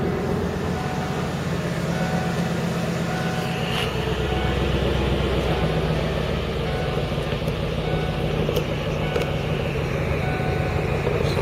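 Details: Lincoln Mark VIII V8 after cold start, having sat unrun since November over winter: even, steady smooth low rumble with no knocks or misses; healthy, normal cold idle.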